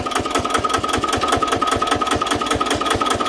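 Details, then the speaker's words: Old Japanese 10 hp single-cylinder diesel welder/110 V generator set, just started: steady, even thumping about five beats a second, no knocks or misses; engine runs soft and smooth, normal idle. "โอเคลองรถเราเบาๆๆได้เลยเครื่องนิ่มมาก"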